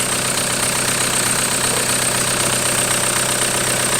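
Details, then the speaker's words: 1991 Toyota pickup swapped to a 1.9 L ALH TDI turbo diesel from a 2000 VW Jetta, first start, pump timing and IQ not yet adjusted: steady, even diesel clatter at idle with a high hiss, no misses. Normal smooth idle. "I didn't think it would run that smooth"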